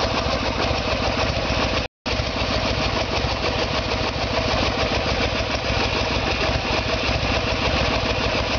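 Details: 1994 Harley-Davidson Sportster with a 1996 Evolution engine, after carburetor fix; rear cylinder previously not working. Steady, even V-twin idle with a regular loping beat, no misses or knocks.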